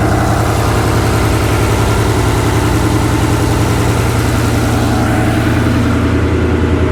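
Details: Ford Ranger after custom fuel cell and in-tank Holley Sniper EFI pump replaced noisy external pump: smooth, steady idle with even low rumble and no pump whine or buzz; fuel system sounds healthy.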